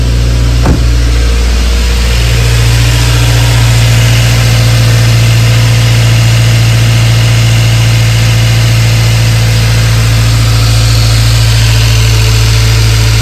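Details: A 2016 Subaru WRX (FA20 DIT), bought a month earlier, idles loud with a low dull knock under a tiny bit of throttle that tracks engine speed. The knock persists after pumping out the fuel; the owner fears a spun rod bearing.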